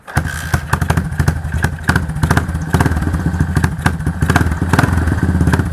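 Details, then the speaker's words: Yamaha SR400 single-cylinder after repair of noisy engine by replacing worn valve rocker arms: even steady idle thump with no top-end clatter; mechanic says this is the quietest he has heard, normal idle. "ช่วยบอกบัญชีนะครับว่าเสียงแบบนี้เนี่ยมันเงียบหรือเปล่ามันปกติหรือเปล่านะครับผมผมเล่นนี้เรามา10กว่าปีนะทำเวลามาเยอะนะผมบอกว่าผมบอกเลยว่าคันนี้เงียบสุดเลยนะครับ"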